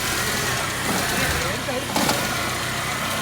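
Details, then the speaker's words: Old car with a dead battery, just started after charging the battery at home: engine catches and settles into a steady, slightly uneven idle and runs on its own fine; car reportedly has other complaints. "നമ്മളെ വണ്ടി test ഡ്രൈവിന് ഒന്ന് ഓടിച്ച് നോക്കട്ടെ. വണ്ടി സ്റ്റാർട്ടാക്കുന്നത് വിജയിച്ചു."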